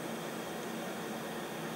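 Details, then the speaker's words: Leak-down test on the LPG rear-mounted Medusa engine, stopped and pressurised, showing 12% leakage: steady airy hiss out of the crankcase breather, not the inlet. Compression is leaking past the rings; bores were probably rusted, and the engine has done 70 miles since revival. "take it off pressure because that's leaking past the rings basically is old probably got a really rusted in the bores before I used it"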